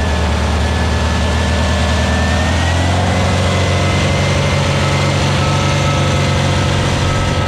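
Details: New VW Beetle 1679cc single-port flat-four with Scat C25 cam and dual Empi ITC carbs during its 20-minute cam break-in. A steady, even low rumble drops smoothly to a lower speed midway, with no knocks or misses. Runs healthy with timing spot on; carbs still need tuning.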